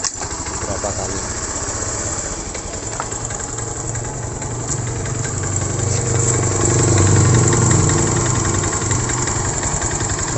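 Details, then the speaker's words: Honda Beat ESP scooter seized from running out of oil, revived with new oil without teardown, first start: coarse, uneven knock about three beats a second growing as it picks up; connecting rod suspected, possibly piston or roller. Rough running with knocking. "kasar bisa dari sehernya ya Setang Seher juga bisa dari apa namanya ee itu ya guys rumah loler ya cuman ini kalau menurut saya ini positif setang sehernya kena ini"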